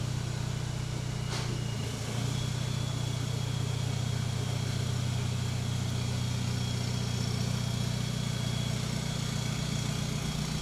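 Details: Volkswagen Jetta Wagon diesel idling during testing of a newly installed full exhaust: steady, deep, even low rumble with no knocks or rattles. Normal idle.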